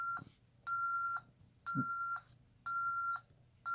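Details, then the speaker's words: ADT SafeWatch Pro 3000EN keypad just after arming: steady half-second beeps about once a second in a quiet room, the exit delay countdown. "it's armed to wait you may exit now you've got our exit delay here"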